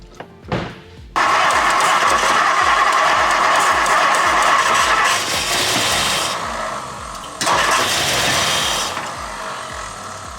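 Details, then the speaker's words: 1964 Mercury Montclair, rebuilt Ford FE 390 with cam and intake kit, first run in 40 years on a temporary boat tank: V8 catches and roars, then sags and dies when the key is released; cause unknown. "Yeah, it acts like it's dropping off with the key. Right? That's freaking weird."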